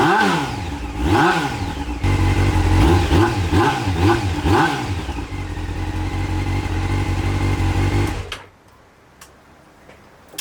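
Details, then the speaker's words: Honda CBR600, cold start with choke on, before the repair: repeated rev blips rise and fall unevenly before the engine dies. It bogs under throttle, which the owner blames on the carburettor inlet rubbers. "Fingers crossed it starts. Oh no, the rev valve is not working."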